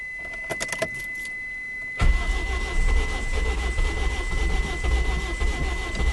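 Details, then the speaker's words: Engine with a badly blown head gasket after Steel Seal treatment, restarted cold with a gallon of water added to the radiator: keys rattle, then it catches and runs unevenly, lumpy; radiator pressurizes and blows out water, Steel Seal failed. "well um I guess uh it was just blown too bad I guess there's some things that still SE can't fix yeah it's just blowing out so much water"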